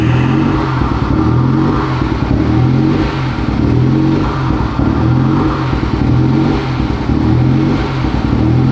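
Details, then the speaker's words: 2021 Honda Civic Type R, totaled and rebuilt, first start after the CV axle install: an uneven idle with a lumpy surge about once a second and a clattery edge, running rough. MAF sensor and PCM codes are present, cause unconfirmed, and it is shut off. "All right, let's shut this thing off. This thing sounds not okay."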